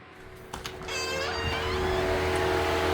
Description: This is the sound that the Jeep 4xe is doing when you charge at high temperature 30 Celsius degrees outside (86 Fahrenheit).